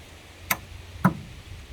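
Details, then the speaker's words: 1962 Vauxhall Victor that sat 25 years, first key turn: sharp starter solenoid clicks every half second with no cranking because the battery lacks power; another battery is needed. "yeah we need a little bit more power so we're gonna go get another battery and see if it actually spins over the starter"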